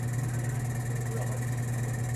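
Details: Steady low hum with a deep, even drone and no knocking or rattle: a vane pump running normally under load, pulling a fusor's deuterium fusion chamber and plumbing down from atmosphere to near-vacuum.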